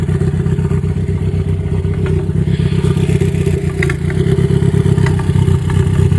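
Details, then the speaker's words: Ford Focus with a cylinder three misfire, after recent spark plug and all four fuel injectors replaced and intake manifold removed; timing suspected. Lumpy running with an occasional funny popping stumble; owner suspects his own work, cause unconfirmed. "And that funny popping noise, that's the noise I'm hearing that weird every once in a while. So, yeah, maybe I did something wrong."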